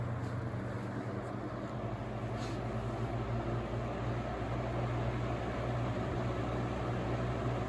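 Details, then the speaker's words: Holmes HABF-20 box fan (Feb 1997), seller's note said "hums"; motor cleaned and oiled, sitting on foundation-type insulation. On medium it gives a steady low hum and even whoosh with no grinding or stalling. It runs great. "Runs great. Motor cleaned up beautifully."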